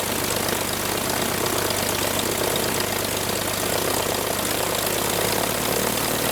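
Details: Franklin 165 aircraft engine test run after repairs following a blown cylinder: steady even roar with the prop beating smoothly, no misses or stumbles; sounds much better, running healthy.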